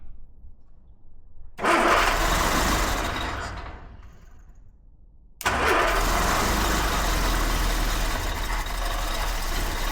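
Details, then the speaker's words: Fire-damaged 1969 Ford Escort MK1 van, crossflow engine, petrol added: fires, fades and dies after a couple of seconds, restarts rough. Coil lead keeps coming out, so intermittent running. "Bloody core wire keeps coming out. Give me a couple of minutes to sort this out and I'll come back here."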